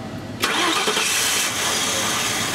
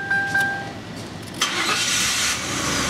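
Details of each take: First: 1999 Ford Crown Victoria 4.6 V8: it starts sharply, runs rough for seconds, then sags and stalls. It will not idle but runs smoothly with light throttle; idle air control device suspected. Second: 1999 Ford Crown Victoria 4.6 on restart: engine catches, RPM flares up briefly with higher IAC percentage, then settles to a steady even idle, showing the IAC motor works in both directions; normal start-up flare.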